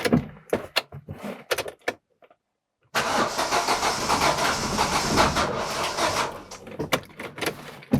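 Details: 2008 Daewoo Lanos 1.5 with LPG/petrol, owner-replaced spark plug leads: short starter bursts then steady cranking that never fires; no start because high-voltage leads fitted in wrong firing order.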